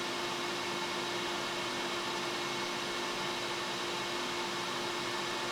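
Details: Laser engraver factory fume-extraction fan at maximum speed with only the exhaust hose attached, no inline fan, measured 2.93 m/s by anemometer; constant airy whoosh with faint steady hum, no rattle or wobble; normal fan operation.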